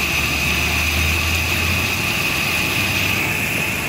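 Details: Nissan 2.4 pickup after replacing the faulty MAF sensor with an original Nissan unit, reading about 2.4 g/s at idle: steady, even idle with low hum and constant high whine, no stumbles or misses; engine idling normally, power-loss fault fixed.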